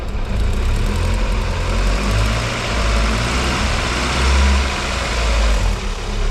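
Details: Astra estate converted to X20XEV 2.0 16v, running temporarily on a C18XE loom and ECU awaiting new cam and crank sensors, newly welded manifold and custom exhaust, first fire-up: low, uneven, lumpy idle rising and falling; idling rough.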